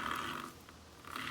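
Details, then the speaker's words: 1997 Honda CBR1100XX with 205/55 17 car tire on the rear, wheel spinning: soft swishing rub swelling and fading each turn; tire lightly brushing the chain guard, later bent clear. "that is just the sound of the tire hitting the chain guide ever so slightly or that yeah chain guard now I just have to balance it"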